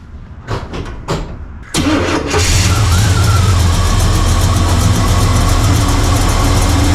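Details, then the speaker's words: Blueprint 350 V8 in a Chevy squarebody, idle mixture screws at 1.5 turns: clicks and cranking, then a steady, slightly loping idle. Vacuum won't reach the green; the owner suspects a vacuum leak, cause unclear. "But I'm just worried that there's a leak and the fact that I can't get it into the green."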